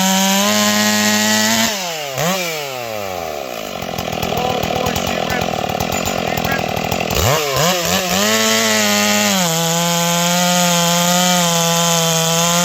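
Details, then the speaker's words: Ported Stihl 461 chainsaw after new Caber rings and repaired blown-out spark plug hole, first cuts in a log; crisp high scream snapping up cleanly, steady pitch through the cut, revs back freely: healthy strong cutting under load. "Yeah, she spins up really good, really strong."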